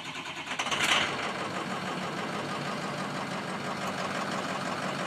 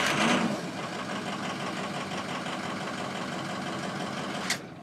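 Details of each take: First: Ford 6.0 Powerstroke diesel, runs rough when cold, about 70°F ambient, checked with IDS balance test showing cylinder five weak; fires with a burst, then uneven clattery lumpy idle; owner suspects sticking injectors. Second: Ford 6.0 Powerstroke diesel that runs rough when cold (sticking injectors), in the 70s°F: steady, even cranking with no weak cylinder. The scan tool's relative compression test agrees, so compression is normal.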